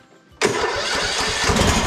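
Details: Husqvarna YTH21K42 lawn tractor small engine after clearing hydrolock from a carb float that would not close and changing the oil: catches instantly and settles into a steady, even run with no misfire or stumble.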